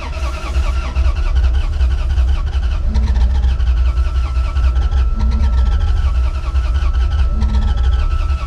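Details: 1989 Dodge D250 that sat over 12 years: it turns over and catches only roughly on starting fluid, then won't keep running; fuel is not getting to the carburetor, and a dead fuel pump is suspected.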